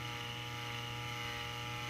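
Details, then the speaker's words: Original Cofan cooling fan in a TiVo Series 3 HD (TCD652160), the reason for replacement: loud steady whirring hum with several fixed tones at full speed, weird noise fades as it slows, yet little airflow; failing noisy fan. "why we decided to replace it that loud noise actually that loud noise goes away after it slows down but i felt that that was a sign even with all that noise it's not putting out that much air"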